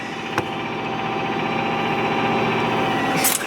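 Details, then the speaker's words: 2004 Subaru Forester XS, almost 400,000 km, cold start after a week at -30°C: rough idle around 2,000 rpm with a sharp whine over a dry diesel-like ticking clatter, about four beats a second; cause unclear. "It was a little rough, but it did it. Oh, it's whining so bad and it sounds like a diesel."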